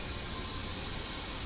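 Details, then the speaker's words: Sea-Doo 325 engine leak-down test: steady sharp hiss of escaping air, little at the intake but heard at the exhaust side, then cuts off; air leaking past the valves. "It's leaking too. Not much here going on in the intake, but if you go over here. Oh, yeah. I hear the ocean calling."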